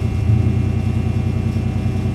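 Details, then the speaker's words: Hudson Hornet, Twin H-Power, just cold-started in winter on automatic choke: steady quick low thrum, even pulses; normal cold fast idle. "you can hear it breaking up just a little bit but it's not a problem"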